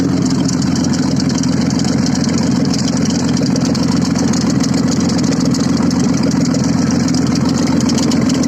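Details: Audi first started after repair, running without exhaust: loud, raw but steady idle with even firing, no knocks or misses; engine runs smoothly.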